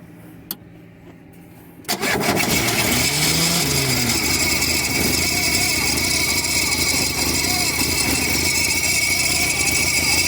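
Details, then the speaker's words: VW Parati AP 1.8 engine, recently rebuilt, stopped on the highway: a harsh metallic rattle with a thin ring and visible sparks, caused by a loose engine bolt striking metal. "pessoal estamos aqui parado na rodovia o carro começou a fazer um barulho estranho né e tá saindo uma Faísca ali vou pedir para me auxiliar a filmar aqui e eu descobri o seguinte esse parafuso aqui tá dando para vocês verem ele tá solto né"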